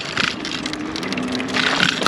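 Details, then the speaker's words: YUME X11 11-inch-tire electric scooter riding over bumps: irregular metallic clickety-clank bursts, mainly the loose fender plus the metal-cased lights rattling; a known loud-scooter flaw. "so as you can see and as you can hear this scooter loves to go clickety-clankity when it goes over a bump and it's just mainly the fender it's a fender and it's also these lights"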